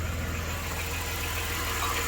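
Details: 1993 Dodge Grand Caravan LE on ramps after a new water pump, idler, tensioner and belts: a smooth even idle with a steady low hum and no pulley growl or whir, healthy.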